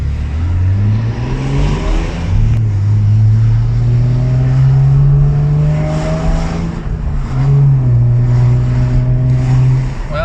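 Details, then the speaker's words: 1996 Nissan Skyline R33 after diesel in the petrol tank, fixed by cleaning spark plugs and replacing the fuel; first drive in six months: smooth clean revs through the gears, no misfire or knock; runs and drives well. "seems to do well after uh cleaning of the sparks and replacing of the petrol sounds good rev as well drives well"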